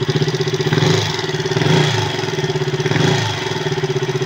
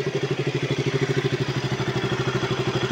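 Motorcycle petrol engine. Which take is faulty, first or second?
first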